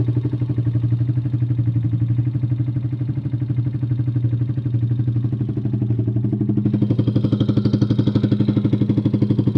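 Steady fast clatter at about four per second riding over the idle, tracking engine speed; a tick or knock of unknown cause.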